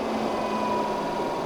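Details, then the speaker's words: Newly installed Heng's Vortex II RV vent fan running, likely at medium speed: a smooth, even whoosh with a low steady hum and no ticking or rubbing. It is quieter than expected. Normal fan running. "Well, I have to say that's actually pretty dang quiet. I was expecting to be a lot louder than that."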